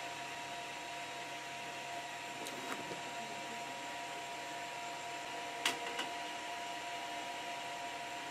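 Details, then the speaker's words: Creality CR-10 3D printer extruder jamming again after a 20 mm manual extrude: steady stepper hum with sharp clicks every few seconds as the drive gear slips and filament fails to feed; owner suspects repeated extrude commands push faster than it can come out. "Let me start a jam again. How can that be? I don't get"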